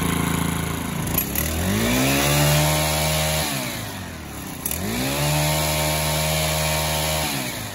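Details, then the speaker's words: Stihl FS 110R 4-Mix trimmer after a new clutch kit and spring for worn shoes; it revs twice and drops cleanly to a steady low idle that holds, now idling down properly instead of running wild. "all righty guys we got the little old steel uh four mix going one more time this thing idle's pretty dead coming good now"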